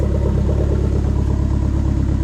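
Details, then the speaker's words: SRT-4 after swapping the engine bay fuse box and dash harnesses to cure a no-start with SKIM light lit and no ECM communication: engine starts and holds a steady, even idle with smooth regular firing pulses, no misses or knocks. "This thing should start and run. Oh my goodness! Listen to that! There it is."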